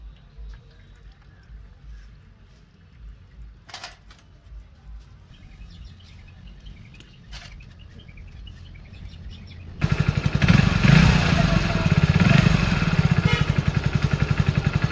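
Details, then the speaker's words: Hero Splendor Plus BS6 single after tappet setting fixed its excessive engine noise: quiet at first, then fires up into an even, quick thumping idle with no valve ticking. "तो देख सकते हैं फ्रेंड्स, हमारी बाइक का साउंड था जो बिल्कुल एकदम ठीक हो गया है फ्रेंड्स।"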